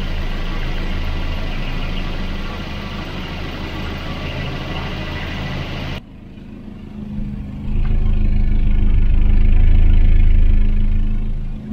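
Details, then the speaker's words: Volvo 240 B230 redblock four-cylinder, the quiet engine: a very smooth, even idle with no knocks, unlike the other B230, which piston-slaps loudly at any temperature. "it's like a sewing machine isn't it it's got such a smooth idle"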